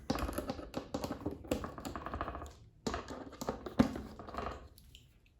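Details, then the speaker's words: Yamaha Tracer 7 with windscreen removed: sharp plastic clacks in quick uneven bursts as the windscreen slider is worked by hand, caused by about a millimetre of play at the hard plastic pin behind the slider. "Tracer nam szybka ta suwnica nam nadal stuka jest to spowodowane tym plastikowym tutaj sworzniem"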